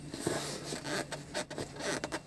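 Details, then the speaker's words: Toyota Land Cruiser LC200 left rear seat, pushed fully back and down: short dry creaks and rubbing scrapes as the seat leather chafes against a metal bracket; the other seat also doesn't seat fully home. "А скрипит она потому, что у нас, сейчас я фонарик включу, вот здесь вот кожа, вот это вот место скрипит об вот эту железку, зараза."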